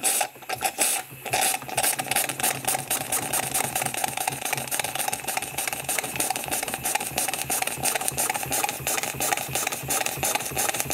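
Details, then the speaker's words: Refurbished small live steam engine at about 10 psi knocks rapidly under load, about three knocks a second, from play in the main bearing. "so knocking your caneer is the main bearing um absolutely nothing now i can open it up"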